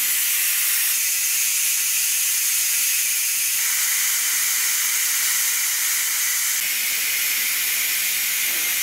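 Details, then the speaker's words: Electric pressure cooker venting after 9 minutes on high pressure cooking chicken soup: loud steady hiss of escaping steam for the whole stretch; normal pressure release until the click signals it can open. "Okay, there's the signal that it's done. So now comes this noisy part."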